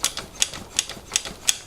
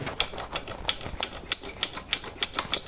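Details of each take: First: Bianchi Strada road bike during tune-up, brake pivots and drivetrain lubed: crisp even ticking about three times a second as drivetrain spins freely, squeak gone; rear derailleur noted as very worn. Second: Bianchi Strada road bike during tune-up, with dry bearings and a dirty, unlubricated drivetrain: sharp clicks about three a second with thin high chirping squeaks; squeak gone after lubing, rear derailleur very worn.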